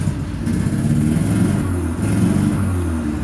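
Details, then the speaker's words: Car whose odometer does not work, idling after start: rough, lumpy beat with small stumbles; misfiring badly, owner says it needs new spark plugs. "right I'm going to stick this out here oh quick hopefully it'll keep running it's misfiring pretty bad at the moment"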